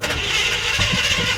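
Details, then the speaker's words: Cold start of the old engine in a 1978 square-body Suburban, primed with pedal pumps, about to be replaced by a GM crate engine: catches right away and settles into a steady, even idle with no misses or knocks; healthy cold start. "There we go, there's a nice cold start right there for you."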